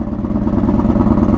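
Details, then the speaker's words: 1982 Honda Magna V45 VF750C V4 with foil-sealed straight pipe, just after cold start: loud, fast, even open-pipe bark; normal idle, though carb synchronization still needed. "So loud. That's either a good thing or a bad thing. And she sounds good."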